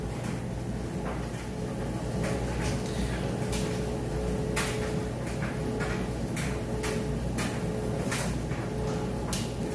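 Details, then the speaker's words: Whirlpool electric dryer running on time dry, high heat, loaded with heavy jeans and towels: smooth, steady motor hum with soft, regular thumps from the tumbling load and no scraping or squeal; normal running. "As you can see in here, it sounds great. Nice smooth operation."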